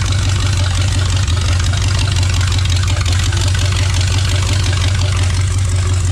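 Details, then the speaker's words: Rat rod V8 after rebuilt transmission install, rewiring and fuel pressure adjustment to 6–7 psi: loud, deep burble at idle, steady and even with no misses or knocks; running right. "Tree rod's running, guys. It's pretty loud."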